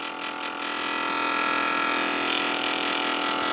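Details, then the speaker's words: BP Microsystems Silicon Sculptor 3 device programmer, powered with cover off: steady whirring hiss with constant high whine from one internal cooling fan; noisy fan needs replacing, unit otherwise passes tests. "definitely is going to need fans so know if you can hear that yeah that's that fan yep one fan it's this fan right"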